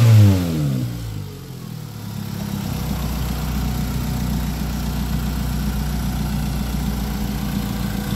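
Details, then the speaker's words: Ford Lynx after fixing crank-no-start: corroded fuse box terminals cut power to the main relay and ECU, no spark; repaired, engine catches after brief crank into a steady even idle with no misses. "So ngayon okay na siya running na"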